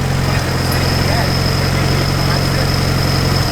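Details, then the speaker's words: Turbocharged car: steady idle with thin high-pitched ring, pinging, sounding unbalanced; possibly the compressor wheel nicking the edge of its housing. "You can tell by the harmonics and it's like, Yeah, but if it was it's just hitting nicking the edge of the, you're hearing it off of this."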